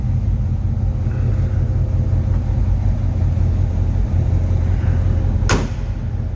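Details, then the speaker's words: 1969 Chevrolet C10 V8, engine and transmission recently gone through, idling under 1000 rpm, recorded from behind the truck: low, heavy, even rumble with no tapping or stumble and one brief bang; normal healthy warm idle. "slip around to the back so you can hear this listen to that rumble good sounding engine"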